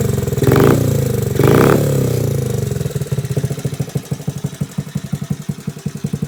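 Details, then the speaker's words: Frame-off restored 1986 Honda Z50R pit bike with aftermarket exhaust: two quick throttle blips, then an even putt-putt idle around four beats a second. Small single sounds healthy. "go ahead and start it up so you can hear how it sounds it's got an aftermarket exhaust i found for the bike it runs pretty good"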